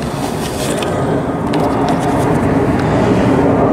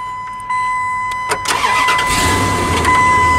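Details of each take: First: 1998 Dodge Ram with an intermittent no-start (starts only when sitting in the seat): loud cranking that catches and settles into running once the suspected fuse-box relay is bypassed by jumping the wire. Fault still unconfirmed. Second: 1998 Dodge Ram with an intermittent no-start ignition fault, started after rewiring the ignition: starter whirs briefly, engine catches cleanly and settles into a steady idle with no stumbling or grinding.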